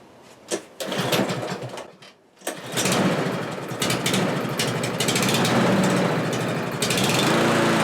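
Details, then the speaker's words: Kohler-engine lawn mower after a carburetor swap: small single-cylinder engine hunting, rpm drifting up and down instead of holding steady. Owner suspects it isn't getting enough fuel and plans to adjust the new carburetor's metering screw. "well as you can see it's hunting up and down there but there is a metering screw on the side of that carburetor that wasn't there before"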